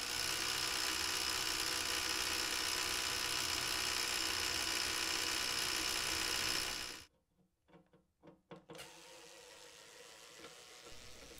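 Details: Philips DCC 951/730 recorder during wind/rewind: dense buzzy rattle, then mechanism stops with clicks; cracked gear on the reel motor assembly connected to the idler wheel wind motor.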